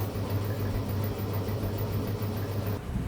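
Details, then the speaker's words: Honda GX160 water pump engine after carburettor cleaning: it cranks with uneven low chuffing but never catches. There is no spark at the plug; the ignition wire was found chewed through by rats. "จากที่ใส่คบูเข้าไปแล้วนะครับเครื่องก็สตาร์ทเหมือนจะติดแต่ไม่ติดนะครับผมก็สงสัยว่าสายไฟตัวนี้ตขาดนะครับ"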